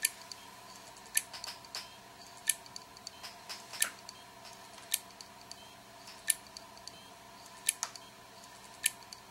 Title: WD Elements WD10JMVW - click of death